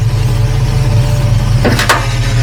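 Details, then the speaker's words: 2002 Jeep Grand Cherokee WJ Overland idling while the wheel is turned fully right and rocked back and forth: a double clunk with a jerk in the wheel; something major in the steering box is suspected. "Oh, yeah, that's got to be something major in the steering box. Oh, hang on. Yeah, there's got to be something major in the steering box."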